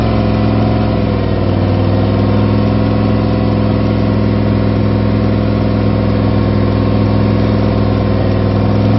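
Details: Freshly rebuilt V8, first start after new gen 4 rods and pistons, new oil pump, new cam and lifters, all new gaskets; deep steady idle with even low rumble and gentle rev change, no knocks or ticks; healthy.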